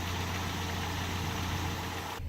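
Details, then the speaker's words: Mercedes 190E 2.0 with natural gas conversion, warming up while running on petrol. Smooth, even idle around 700 rpm with a steady low hum, no misses or hunting; said to improve the more it is driven; normal idle. "as you guys can hear smooth as ever on petrol it actually gets better the more I Drive it"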